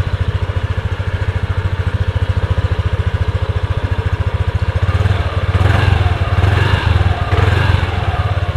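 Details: Yamaha Aerox scooter after fitting brackets to space the number plate away: steady single-cylinder putter, about three and a half beats per second, with short throttle blips; no plate buzzing or rattling.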